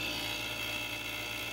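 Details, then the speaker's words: Residential heat pump reversing valve solenoid coil: rapid, buzzy, high-pitched chatter over a steady hum as the coil engages and disengages. A shorted thermostat supplies about 3 V instead of 24–25 V; bypassing and replacing the thermostat stops the chatter. "if the voltage was not there and that's what caused the coil to disengage and engage and disengage and engage which caused the shattering hurt the chattering sound"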